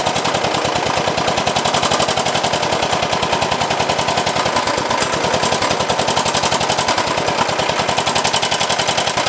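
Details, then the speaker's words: 389cc 13hp engine fitted to an off-road kart, run after adding oil: loud, hard, rapid knocking drowns everything out, a serious bottom-end knock; owner suspects the connecting rod broke off the piston, after hearing a slight knock at first start. "So, spinning. Now when I go the other way, I think the rod broke off from the piston."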